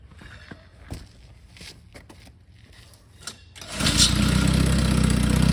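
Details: 1952 Johnson SeaHorse 10hp two-stroke outboard, free trash find revived without parts; clatter and handling, then fires into quick even buzzing run; runs good, though needs pull rope, O-rings, grip and small gas leak fix.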